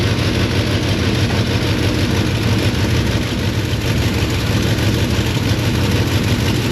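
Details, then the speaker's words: Lincoln MKZ idling rough, with an uneven stumbling beat and regular firing dropouts. Spark is good; injectors sound fine on the stethoscope, though the number two injector (cylinder 3) sounds slightly odd. A failed fuel injector is suspected. "it's so strange that the injectors sound really good in the stethoscope um if anything the number two injector sounds a little odd uh which is technically cylinder 3"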